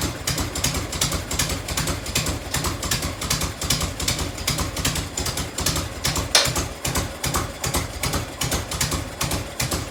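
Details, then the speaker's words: 1990 Harley FLHTC Evo V-twin, cold start on choke and fuel reserve, heat shield off, after primary and clutch reassembly. Quick sharp ticks, about two or three a second, over a loping idle: exhaust leak at a crooked header clamp. "a couple little exhaust ticks had one in here"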